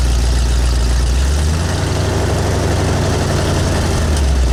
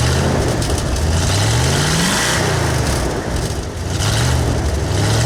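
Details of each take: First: V8 with speed-density injection and an oversized cam, idling on new Cherry Bomb Turbo mufflers replacing glasspacks: deep, steady low rumble with a slightly lumpy beat, nothing knocking or rattling; normal idle exhaust note. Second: V8 on new Cherry Bomb Turbo mufflers, throttle blips: deep burble, revs climb, stumble and flatten before rising again; hesitation from an old speed-density injection system with a camshaft oversized for a 351 and 302.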